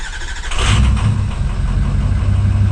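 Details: Ford 6.0 Powerstroke diesel with new injector, next-morning start: lumpy, uneven cranking, one stroke lighter than the rest, before catching; owner suspects low compression on one cylinder, compression check planned, not confirmed.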